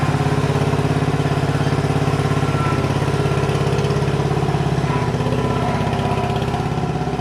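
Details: 1977 MTD 990 16 hp Dayton-badged tractor after electrical repairs, on a test drive at low revs with the mower deck engaged cutting grass: steady putter at about two beats per second, no knocks or misses, running normally.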